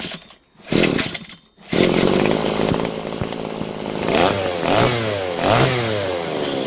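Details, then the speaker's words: Butane gas-powered brush cutter after carburetor repair (cleaned, gasket, throttle valve, new spark plug; previously started but wouldn't run): engine picks up sharply through several revs and drops back cleanly, no sputter; repair successful, normal running. "Hãy mở van động cơ đang tăng tốc và đang được điều chỉnh. Việc sửa chữa đã hoàn tất thành công."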